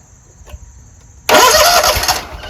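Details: Scag Tiger Cub 48" commercial zero-turn mower with start and stall problem, fuel pump confirmed pumping: silence, then a short loud burst of starter cranking that fades without the engine catching; cranking, no start.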